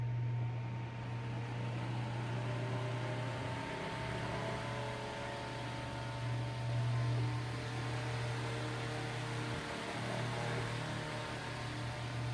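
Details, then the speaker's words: Eskimo 1005/1005R desk fan (McGraw-Edison, 55 W, 105-120 V, 60 Hz AC), oscillating, after extra oiling. Even low motor hum under steady air rush, no rattle or squeal; running well, though bearings still need some work; normal running. "But it does look like it is running good now. Yeah, bearings are still need to get a little bit of work done, but I think after some use, I think it'll be a perfect running fan again."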